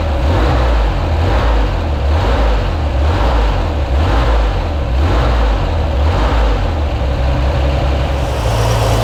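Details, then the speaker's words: Corvair flat-six just fitted with an automatic belt tensioner. Deep, loud rumble at steady idle with no squeal, slap or chirp from the belt. The tensioner makes micro adjustments to hold belt tension; normal idle. "Looks good. You can see it actually making little micro adjustments there just as the engine's running, just to take up and keep a consistent pressure on the belt."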